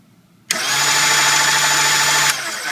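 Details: Gaggia MDF coffee grinder after fuse replacement and burr adjustment (earlier burrs set too tight, grinding, blew fuse): motor spins up instantly to steady even hum with clean hiss, no burr scraping; runs normally, burr setting fine.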